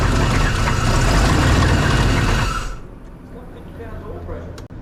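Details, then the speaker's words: 1999 Suburban 3/4-ton 454 4WD with good compression, running without its mass airflow sensor: rough, rattly run with a harsh knock about three or four times a second before shutoff. Internal engine knock, something heard rolling in the oil pan, plus an exhaust leak; O2 sensor found missing. "it sounds like there's something rolling around in the oil pan too uh I don't know I'll get under and look at the exhaust and see if anything looks weird"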